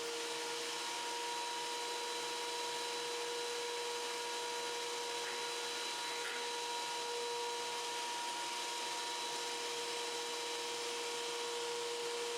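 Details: Wen 6552T 13-inch 3-blade benchtop thickness planer feeding workpieces through fast: steady, even motor whine with constant hiss of cutting, no knocks or pitch dips; smooth feed, normal healthy planing.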